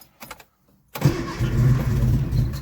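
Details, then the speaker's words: Freshly rebuilt 1311cc A-series engine, first start, cold while warming up: cranks into a low, uneven rumble that never picks up to a clean run. Flooded by too much choke. "Okay, I got greedy with the choke. Let's try that again."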